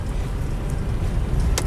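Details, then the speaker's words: UAZ Patriot driving over bumps after fixing a front knock, which was caused by a worn lower shock-absorber bolt loose in its bushing: steady low road rumble with no rhythmic thumping; the front suspension is now quiet. "Ну вот, ничего не стучит, такая незначительная фигня."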